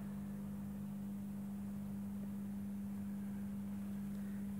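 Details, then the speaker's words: MSD Metro lantern after swapping a CDO lamp for an HPS sodium lamp, recorded outdoors: steady low mains hum from the ballast as the lamp strikes and flickers into firing. This is normal. "yes i can hear it humming and is it firing let's see what it does yes it's fluttering it's fleckering"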